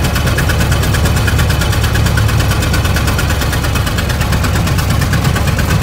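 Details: 1920 Ford Model T barn find, first start after carburetor cleaning and points work, timing being adjusted: uneven, lumpy, loping idle with dropped pulses, running on only one or two cylinders; stuck valves causing low compression.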